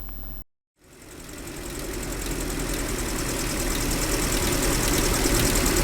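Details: GAZelle Business with a UMZ-40216 engine after its cracked cylinder head was replaced: even, quick tappet ticking over the idle, from a pushrod catching the head bore. The fix is a rocker arm with its hole about 1.5–2 mm further from the cam.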